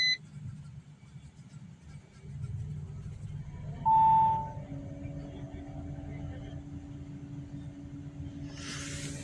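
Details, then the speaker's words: Audi A4 after repaired ignition coils fixed a misfire on cylinders 2 and 3 (no DTCs): petrol engine starts and settles into a smooth, even idle with no stumble or vibration. "इसको of करेंगे, start करेंगे। देख सकते हैं अल्हम्दुलिल्लाह गाड़ी हमारी आस्ता स्टार्ट हो चुकी है।"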